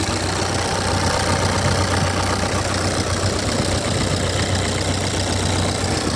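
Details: 1997 Ford Escort 55 D diesel van, warm: loud, steady diesel clatter at idle, even and unchanging; engine sounds healthy and settled, not powerful but unburstable.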